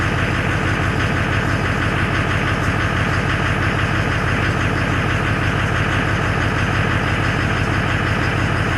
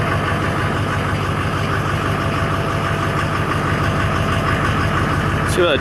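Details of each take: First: Duramax LBZ diesel on first start after rebuild with 60% over injectors and a CP3 high-flow kit: loud, even idle clatter with a steady pulse about three per second, no misfire heard; check engine light on at startup. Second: Duramax LBZ diesel after 60% over injectors, modded CP3 high-flow kit and fuel system rebuild: it fires into a steady low, even rumble without stumbling.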